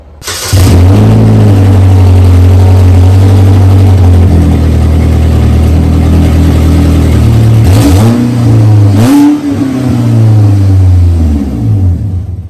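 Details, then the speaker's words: 2010 Chevrolet Equinox with leaking exhaust: deep loud roar swelling with revs and dropping at idle, far louder than normal; flex pipe suspected busted right after the catalytic converter, before the muffler. "as you can tell super loud i believe the flex pipe is busted right after the cadillac inverter"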